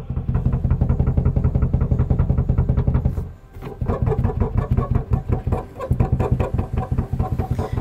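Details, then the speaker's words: Rear seat rattle in a Toyota Hilux 3.0 (2005–2015 generation), likened to shaking on a dirt road. A fast, loose clattering repeats steadily with a short pause midway. "você imagina esse barulho uma trepidação na estrada de chão"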